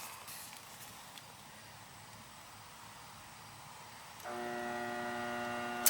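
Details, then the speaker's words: Older 2-ton (24) central AC outdoor unit serving second floor, not running, tenant suspected compressor: contactor pulls in, then steady electrical hum with nothing spinning up; technician suspects bad capacitor. "nothing starting so maybe it's a bad capacitor let's hope for your sake it is it might just be a bad cap a lot of times that's what the problem is nothing wants to start"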